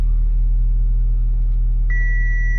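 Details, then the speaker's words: 2011 Audi A5 2.0T after the P0016 timing repair, first start with coils reconnected and codes cleared: smooth, even idle with a dash chime partway through; normal idle. "Yes. You guys don't know how relieved I am right now. And I'm surprised it didn't have to like prime the fuel pump or anything, even though I had it all open."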